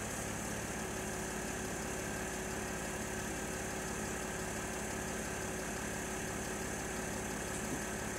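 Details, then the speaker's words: Mercedes GL Airmatic air suspension after repair with new parts and leaking hose fixed, engine started: quiet steady buzz with fast even pulse as compressor kicks in and raises car to ride height, then stops; normal compressor running. "okay now you can hear the compressor kick in see the car rising all the new bits are in"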